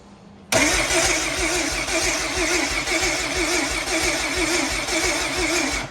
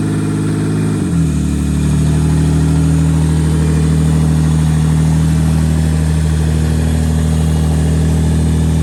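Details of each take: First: Rear-wheel-drive race Honda Civic with a slow-cranking complaint: starter spins the engine at an even, steady beat for about five seconds and it never fires; no spark and no fuel. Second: Rear-wheel-drive race Honda Civic after its cranking and no-start problems were fixed: revs drop after a brief blip, then settle into a steady, even idle with no misses or knocks; engine running normally.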